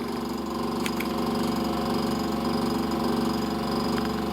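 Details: A loud, buzzy motor hum with a steady pulsing wobble from the condenser fan motor on a KitchenAid side-by-side refrigerator freezer, heard with the back cover removed; the motor had become noisy and was replaced with a new motor and fan blade.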